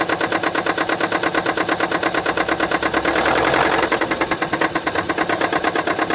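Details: 2015 Kia Sportage SL, 2.0 L (1998 cc) G4KD petrol engine, 122 kW/166 PS, 118,709 km: sharp, even ticking about three per second over a steady idle, caused by a defective fuel injector.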